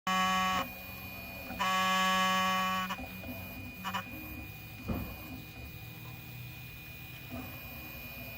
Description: My Prusa MK3 makes a weird noise, printing with 3 perimeters and makes noise during 2.